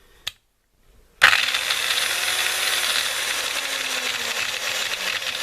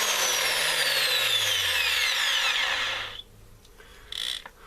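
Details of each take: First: Makita M0921 angle grinder (red Makita, made in China) with a gearbox noise complaint runs with a harsh gritty whine, then clatters in uneven clicks while coasting down; bevel gear pair missing several teeth, others worn smooth, bearing also noisy. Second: Makita M0921 angle grinder after replacing the gearbox gear pair: steady high, smooth whine at full speed, then a clean wind-down when switched off; no grinding or rattle, it runs like new.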